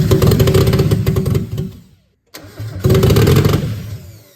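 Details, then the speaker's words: Mazda Miata with a 1.6 engine swapped in, running on the 1.8 ECU, first start with open header. Fires, revs, dies, smokes, then restarts and runs with an even beat on all four cylinders and no misfire; normal start and idle. "Sounds like it ran on all 4 cylinders, right? works for me."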